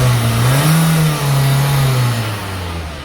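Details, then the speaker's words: VW Polo Vivo that had a cylinder 2 misfire, after cleaning and reinstalling the spark plug and coil pack: engine rises and falls through a rev cleanly with steady, unbroken tone and no stumble or miss. "The engine is already idling considerably better on acceleration. You can see that there is no less fire."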